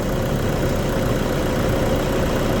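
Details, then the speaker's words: Toyota Vigo with a 2KD diesel, just started and not yet warm, after its leaking injectors were repaired (it had been shaking). Smooth, even idle with a steady low rumble and no shake or missed beat. Normal diesel idle. "สำหรับคันนี้นะครับตอนนี้สตาร์ทเครื่องยนต์แล้วนะ"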